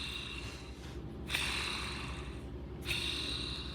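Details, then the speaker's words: RC car motor removed from vehicle, rotor spun by hand in front bearing: gritty rough rasp swelling with each spin; outer front motor bearing worn out, needs replacing. "there you go it's all in that front bearing"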